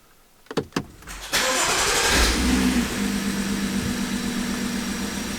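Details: BMW F15 X5 xDrive35i N55, shaking under acceleration, started after new spark plugs, codes not yet cleared; starter clicks, then uneven lumpy idle; misfire persists, rough idle, smooth only with mass airflow sensor unplugged.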